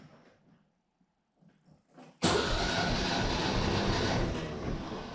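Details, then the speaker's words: Mercedes W115 hot compression test, cylinder one cranking with digital pressure tester: steady starter whirr about three seconds, no firing; even crank, 10.7 bar (about 155 psi), a little lower than the previous 175 psi, as expected. "all right there we go 10.7 bar so that is a little bit lower than uh it was before like i said i would kind of expect that"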